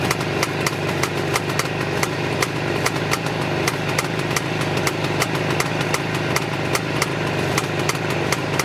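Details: Jawa 634 350 two-stroke rough idle: lumpy, with sharp pops about three or four a second, unevenly spaced, as one cylinder intermittently goes semi-active or runs irregular compared to the other.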